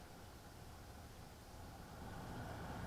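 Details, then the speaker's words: BMW F01/F02 blower after replacing the deteriorated mesh filter cover that had let debris unbalance and hit the fan: soft, even airy rush with no rattle or scraping; blower runs quietly again. "it's perfect again just the way I like it"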